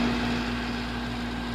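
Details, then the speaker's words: Residential air conditioning/heat pump outdoor unit after cleaning: steady low compressor hum under the fan's rush; compressor running normally with the fan. "if you can't hear that home down there you only hear the fan running that means your compressor is not running"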